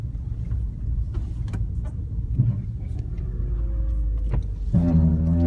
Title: 2010 Prius - Brake Noise